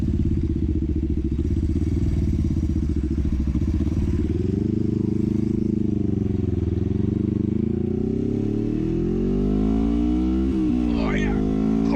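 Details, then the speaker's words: 1973 Honda CL350 twin, formerly stalling at 6-7000 rpm from suspected lean condition with aftermarket exhaust; after secondary jets 105 to 120, new intake boots, timing and points: pulls cleanly to full power, smooth climbing revs, no stumble. "so there we go we're gonna get all the way up to full power it's pretty sweet"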